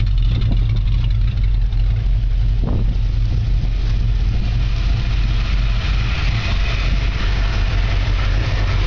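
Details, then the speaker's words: 1964½ Ford Mustang on a cold start after sitting for a year and a half. There is a deep, steady exhaust rumble at an even idle with no misses, knocks or ticks. It is idling normally. "just listen to that exhaust that's what makes men's hearts and lungs beat sound of a gasoline being burned"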